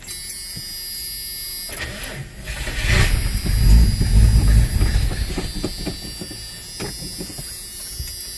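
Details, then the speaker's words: 1982 Ford Granada at its first start attempt after purchase, cranked with starter fluid; engine catches and runs rough a few seconds then dies, not drawing its own fuel; cause unconfirmed, gas gauge and tank fuel level unknown. "Yeah, that's about all I can get out of it. I'll have to bring that up and see how the hell this was possibly driven here."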